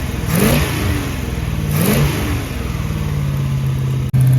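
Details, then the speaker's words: 1974 Dodge W100 4x4 pickup with a big-block Mopar 383 swapped in after the original 318 blew: rough V8 revs twice then settles to a loud, uneven idle; the alternator charges but makes horrible noises, plus a small exhaust leak. "Alternator's bad. Well, it charges like exuberantly, but it makes horrible noises, so there's that."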